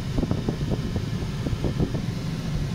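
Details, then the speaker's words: Ford Mondeo just started, bonnet open, with suspected BCM/ignition switch faults: steady heavy rush of air with low uneven roar, no speed change; cabin blower stuck running at full speed. "Bonnet open, I know, mate, I haven't shut it properly yet. Why the hell's the AC going absolutely mental?"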